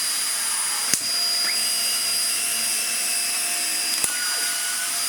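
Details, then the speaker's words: Dyson DC50 Small Ball vacuum after a new motor was fitted: steady high-pitched motor whine with an even pitch and no rattles or surging, just a faint squeak from the filter's rubber seal not sealing properly; the motor is running healthy. "That sounds better. Bar the filter still being a little bit squeaky."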